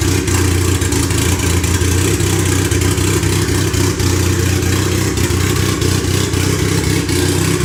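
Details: Freshly rebuilt turbo 1996 Honda Accord CD5; tune first suspected, vacuum leaks checked. Uneven, lumpy running with clattery pulses and blips, held on the throttle because it can't hold idle. Rough idle.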